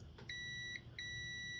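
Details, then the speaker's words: Lawn tractor 5-prong ignition switch, key in the on position, meter across B (battery) and L (lights): sharp beeps then a steady tone show continuity, so the switch contacts are good. "and that is working"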